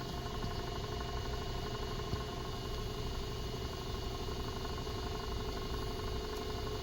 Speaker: It doesn't even blow anything. It's just kind of kind of spinning there. And like I said, sometimes it turns on, so